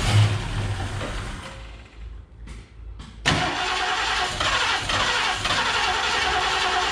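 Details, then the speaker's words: 1969 Mercury Cougar Sport Special, 351ci Windsor 2V V8, sat about 20 years: starter cranks unevenly with no firing; fuel present in pump inlet hose, pump suspected, later found blocked gas tank pickup starving the engine of fuel. "hold that uh and dude it was just like one little squirt i wonder if our fuel pump is either sure it's oh that's convenient here's the fuel line right here there's fuel in here"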